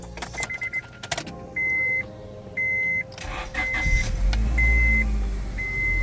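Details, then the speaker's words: 2005 Honda Civic just after replacing the power brake booster: over a repeating door chime and key jingle, engine starts cleanly and settles into a quiet, even idle with no odd noises; sounds like a winner. "Sounds like a winner."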